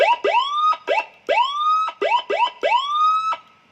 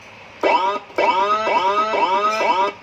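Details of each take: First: Sirino siren after repair, the faulty TDA2005 amplifier IC replaced with a pin-compatible TDA2004, run on a 12 V supply into a speaker: clean rising whoop tones in quick bursts, each climbing smoothly to a steady pitch; sound normal, fault was only the IC. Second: Sirino siren module on a 12 V supply driving a speaker, before repair: choppy, harsh, buzzy crackling instead of a clean tone, like a short circuit. Distorted output from a failed amplifier IC; the TDA2004 IC was later replaced.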